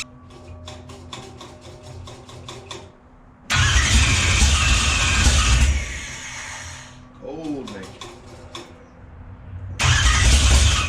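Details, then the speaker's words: Race car with a newly installed starter: even, quick cranking pulses about three per second with no drag or grinding, then the engine fires and runs; new starter healthy. "Now that I know that the engine starter sounds good, not really dragging all that much, just resistance of the motor, I'm going to work on putting the brakes on the front."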